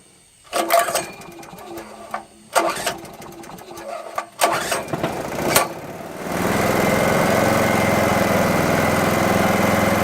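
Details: Small petrol generator, unused about 5 years, converted to run on propane fed directly from the bottle with a faulty, fully open regulator, bypassing the carburettor: a few rope pulls, catches around six seconds, settles into a steady even run.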